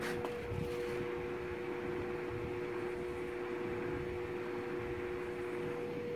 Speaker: sure you can probably hear the slight humming sound in that fan and that is because this is not a pure sine wave inverter